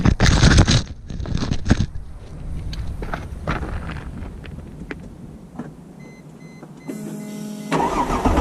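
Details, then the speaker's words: Mercedes E320 W210 with the M112 engine, microphone underneath, idling out of gear; a loose rattle like marbles in a can from the downstream catalytic converters, whose insides are breaking apart and restricting the exhaust, which risks burning up the upstream cats. "doesn't sound too good that's the downstream cats the insides of them are breaking apart and it that causes an exhaust restriction that could cause the upstream cats to burn up himself"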